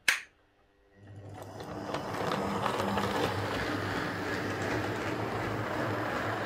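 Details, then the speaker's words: Hornby R150 Class B12 model loco, previously very noisy despite new bearings and gears, now with replacement motor (part X8777SK): brief click then soft, even motor hum, no rattle or roughness; normal quiet running. "so as you can hear that's running quite quiet um let's just back it up so that's running really nice"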